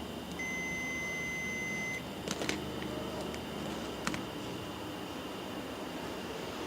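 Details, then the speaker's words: Microwave oven relay under test with meter: steady high continuity beep, then crisp single clicks as the relay contacts pull in and drop out when power is connected and disconnected; the relay switches normally. "lo conectamos y nuevamente debemos de tener continuidad de hecho se escucha como el platino se activa y se desactiva"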